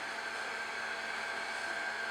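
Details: Trend Airshield Pro respirator, helmet blower motor running on a charged battery with the airflow indicator ball raised: soft, steady airy whoosh with a faint constant whine, no wobble, rubbing or rattle; normal fan running.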